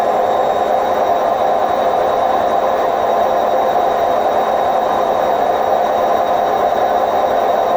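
A continuous, even roar holds steady through the spin with no rhythm to it; worn drum bearings rumbling at speed.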